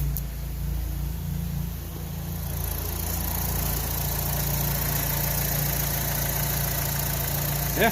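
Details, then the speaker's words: Gen1 Chevy Cruze 1.4T, tuned by Trifecta, warm, recorded up front after ZZP catless downpipe and mid pipe install: steady low idle hum with faint turbo whistle, no ticking or puffing from the pipes, no exhaust leaks; normal idle. "Yeah, everything's good."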